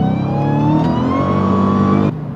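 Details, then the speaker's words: Manual Dodge Challenger Hellcat after replacing the supercharger (bearing whine) with a later-model take-off unit, driving: clean whine climbs with revs under throttle, drops on lift; normal blower whine, no bearing noise. "you can hear it's quiet super quiet driving around don't have that dreaded bearing wine anymore and if I step on it which you'll see in a little bit I still got that supercharger one"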